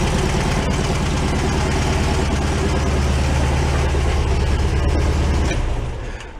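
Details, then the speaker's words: 1978/79 VW Super Beetle fuel-injected air-cooled engine after oil leak repair, warmed a couple of minutes: even low chuffing idle, no misses or knocks, sounds much better than before; no oil dripping. "you let it warm up a little bit they'll be evened out it's been a couple of minutes definitely sounds a lot better than before"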